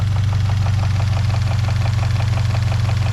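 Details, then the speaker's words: 1JZ-GTE VVTi engine in a 2013 Scion FR-S: idle sounds healthy, but at high rpm a light steady knock of about 200 a minute rides over the engine note; owner was told it is piston slap but is unsure. "It's just a little noisy, you know, on high RPM, you know, like a little knock, you know."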